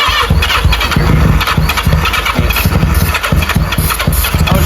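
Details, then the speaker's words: 1985 Yamaha XJ700 during a rebuild with new plugs and flushed oil, cranked on sprayed starting fluid with little fuel in the tank. Loud, uneven firing pulses that stumble and fade: it fires but will not keep running. "Oh, it was almost there. You might have to keep spraying it to keep it alive."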